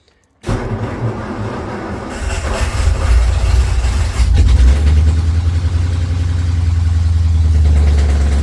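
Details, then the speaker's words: Engine fitted with Holley Sniper 2 EFI, after setting timing at top dead center, adjusting distributor and lowering idle RPM, started in neutral; uneven rumble with sharp pops as it backfires again at startup. "Now we're backfiring again."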